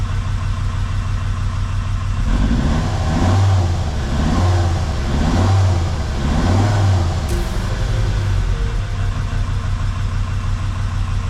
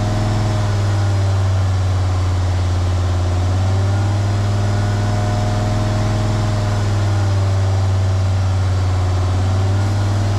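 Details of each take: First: Jeep WJ Grand Cherokee 2.7 CRD diesel with injector problems, throttle blips after Liquid Moly; deep rumble rises and falls smoothly with no knocking and sounds better, though it is still smoking a lot, only slightly less. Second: Jeep WJ Grand Cherokee 2.7 CRD diesel with injector problems and black smoke, held at about 2000 rpm by bricks on the throttle while intake cleaner is fed in; deep, steady, even drone, and the smoke is reducing.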